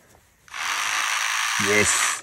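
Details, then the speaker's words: Lotus Elise fuel pump bench-tested after refurbishing worn parts, on a partly discharged battery that may slow it: thin, steady high whir that spins up and holds an even pitch without grinding; pump comes back to life. "génial ça marche bon als j'ai pris une batterie qui est qui est complètement qui est complète enfin partiellement déchargé donc c'est peut-être pour pour ça aussi que ça tourne pas aussi vite que qu'il ne faut mais en tout cas elle revient à la [Musique] vie"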